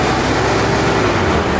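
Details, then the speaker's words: 4AGE Corolla, one fan plugged back in and the thermostat fan sensor unplugged: steady rushing whoosh over the running engine, both electric cooling fans spin normally with good power and earth; switching temperature suspected as the problem. "okay so i've just plugged this fan back in now both of them turn on when i unplug this"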